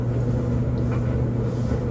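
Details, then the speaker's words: LG DLGX4001 gas dryer running a normal cycle with TurboSteam on a light load of shirts and sweatpants: low steady drum hum and roar with a constant gas flame howl underneath, louder because the dryer sits in a very open space; normal burner howl. "this is a gas dryer so how the howling you will hear throughout this video um does that's just the the flame and my Dryer's flame sounds louder than I think most others do because my dryer is in a very open environment"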